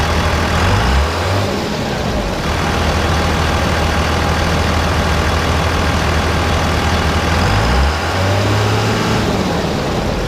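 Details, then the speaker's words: 2001 24-valve Cummins diesel at idle before installing a Banks Ram Air cold air intake: deep, steady clatter with even beat and hardly any turbo whistle from engine or exhaust tip; normal idle. "all right so you guys can see we have no turbo whistle pretty much at all I mean you can hear that it's there the turbo is in a existence but you can't really hear any turbo whistle whatsoever coming from the engine or the exhaust tip"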